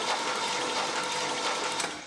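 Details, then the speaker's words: 1967 Chevrolet Camaro SS revived after 15 years sitting, cranked with the spark plugs out: a fast, even whirring spin with light ticking, turning freely; oil pressure reaches 30 psi. "We're getting 30 PSI. I think that's good. I'm going to give her one more crank just to make sure we got oil everywhere."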